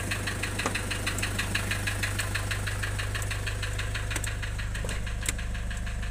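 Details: Nissan Urvan Estate with ZD30 (E25) diesel at idle: regular clatter around three beats a second with a lumpy, stumbling rhythm; rough idle with white smoke from low compression.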